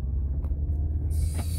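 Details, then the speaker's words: 2003 VW Golf after clutch, front suspension and axle replacement: aftermarket shaft-design axles swapped back to OEM tube-design axles, now pulling smoothly at 3,800 rpm in first gear with a steady deep rumble, the former 3,800–4,000 rpm vibration gone. "so right away off top i'll bring it up to 3 800 rpms uh in first gear because first gear i made the most vibration so now we're here is smooth as a baby's butt oh it feels so much better"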